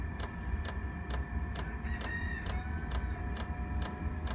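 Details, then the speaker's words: Diesel heater powered from a motorbike battery to test whether it can run one: steady fan rush with a crisp fuel-pump tick about twice a second, evenly spaced; it briefly stopped, restarted and now runs normally, though a burning smell is noticed. "that was a little bit weird it stopped for a second and now it's started again I can smell burning"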